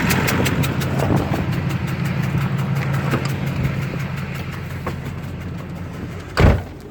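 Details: 2005 Duramax LLY diesel at idle: a sharp, regular knock over the rumble plus a hissing, exhaust-leak-like puff. The truck won't exceed 60 mph, the knock grew louder, and it makes black/white smoke. Owner suspects a bad injector or injectors and an exhaust manifold leak.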